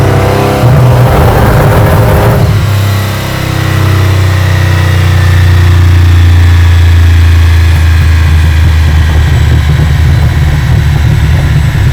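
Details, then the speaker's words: Aston Martin V12-swapped Foxbody Mustang on the dyno under load, engine getting warm: a loud deep note rises, then sits flat at one steady pitch instead of climbing; it is hitting some kind of limiter, a rev limiter is suspected but not confirmed. "So it's running into some kind of limiter."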